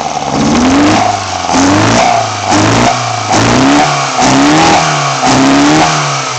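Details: BMW 318i M10 engine on first startup after fitting sidedraft individual throttle bodies: crisp blips rise and fall about once a second with clean throttle response and a smooth return to idle, so it is free-revving normally.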